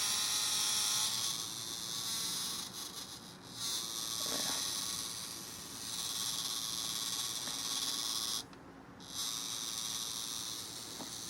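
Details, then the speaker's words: Blade 350 QX2 quadcopter with a newly installed inexpensive 2D gimbal, powered up without the camera: constant high-pitched buzzing hiss with brief dropouts and heavy vibration. The unloaded gimbal motors are oscillating, and the owner wonders if this affects GPS lock. "it does make a lot of noise but so this is a quadcopter so i don't know if that's going to affect the the gps lock or anything though a good question because i can't exactly turn it off and it seems to be vibrating a whole lot"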